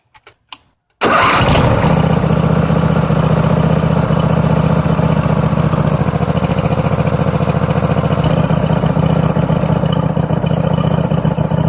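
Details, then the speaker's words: Twin-cylinder engine, spark checked OK: uneven loping beat with a stumble every few turns, struggling on the right-hand cylinder; plan to clean the carburetor and check coils. "So as you can hear, she's struggling on the one cylinder. I have determined it is the right-hand side cylinder."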